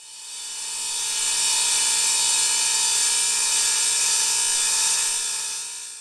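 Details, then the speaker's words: Delta 36-725T2 table saw with a newly fitted hard plastic zero-clearance insert. A harsh, hissy high-pitched grating swells as the blade reaches speed; the blade is likely rubbing slightly on the insert. "not sure how that's coming across on your speakers or headphones, but it's now making this really grating sound. My guess is that the blade is ever so slightly rubbing against the hard plastic and causing the noise."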